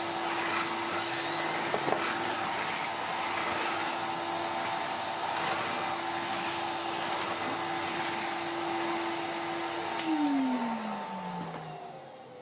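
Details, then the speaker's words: 1990s Numatic BX190 (BX.BX) vacuum with aero brush, bag and filter not yet emptied or cleaned: steady high whine with a strained, choked note, winding down at switch-off; labouring, full bag or clogged filter suspected, not confirmed. "I think as valiantly as our little BX.BX is trying, he is struggling. Let us help him out by emptying him and maybe cleaning his filter."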